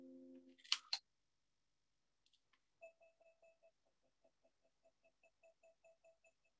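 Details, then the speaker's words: Amazon Alexa Show and Tell scanning a snack packet: short, steady high beeps repeat four or five times a second as guidance tones. If the beeps stop, move the item up, down and toward the device. "and if you hear the beeps stopping just move it up and down and a bit forward towards the device"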